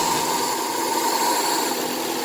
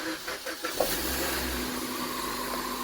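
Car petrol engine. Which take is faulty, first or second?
first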